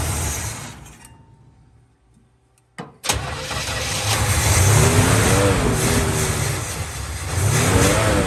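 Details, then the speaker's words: 1950 Plymouth Deluxe, off the road 23 years, first start after fitting a carburetor fuel filter and new plugs: starter grinds briefly, engine catches and settles to a steady throb, revs rise and fall cleanly; idles on its own using the engine fuel pump. "so we got it now so that it idles all on its own it's using the fuel pump on the engine"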